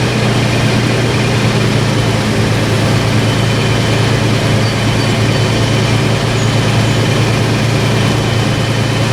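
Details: About 15-year-old Toyota FJ Cruiser on the lift with its original rusted OEM exhaust, before the MagnaFlow cat-back replacement: deep, steady idle drone with an even low rumble and no ticks or rattles; stock system sounds healthy.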